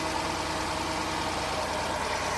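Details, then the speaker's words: 2005 Chrysler Town & Country, 326K miles, first start after engine service (water pump, timing chain, seals), oil pressure confirmed: smooth, even idle, steady low hum, no knocks, misses or ticks, running on all six; belt riding okay, normal idle. "We got oil pressure. We tested that. a little pressure. And there she is. She's idling just like that."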